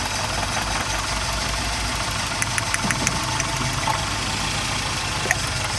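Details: Toyota XLi idling steady with light, quick ticking and no load change; tappet noise, valve tappet setting needed.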